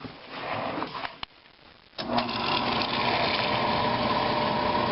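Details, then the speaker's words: Oil-fired hot water heater/furnace after running out of oil (diesel can substitute); burner motor and pump hum with uneven hissing spray at opened bleed bolt as air is bled from fuel line until a solid stream; air in fuel line. "There's still going to be a little bit of air, but you can see how it's getting more and more of a solid stream. So what it is, you want to try and get all the air out of there before you close this valve off, because once you do, it'll start firing up."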